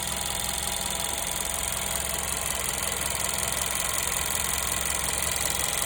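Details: 1.2 TSI petrol engine idling with fast, fairly regular light ticking and metallic chatter; owner suspects timing chain noise, not confirmed.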